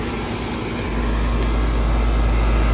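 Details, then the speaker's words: Central AC outdoor unit after bad compressor capacitor was replaced: fan noise, then steady deep motor hum joins about a second later and holds even; compressor now running normally. "if you listen there isn't just the fan blowing there's also a like a hum like a motor sound there was indeed the capacitor went bad they replaced it"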